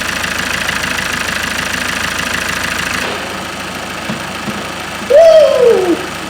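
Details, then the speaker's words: Ford Mondeo Mk5 diesel taxi on its first start after a snapped timing chain repair, self-primed with ignition on, cold and before the coolant fill: smooth, even idle with no knocking, rattling or chain slap. It runs sweetly. "we've got a bloody winner it's going it's bloody going we've got a runner it sounds as sweet as a freaking"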